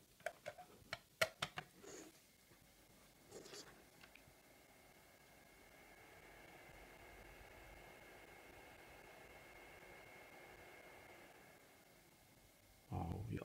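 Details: ButterFly Labs Jalapeño 5 GH/s Bitcoin miner after fitting a Fan Mate 2 speed controller, fan set near its slowest speed: after a few handling clicks, only a faint, steady soft whir with a thin high tone remains; fan runs slow and quiet, normally.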